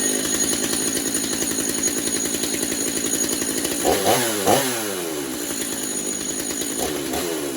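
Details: Stihl MS250 chainsaw on low fuel, started after refitting the bar and chain to check the clutch: a raspy, busy idle with brief blips and the clutch not grabbing. It runs clean and even.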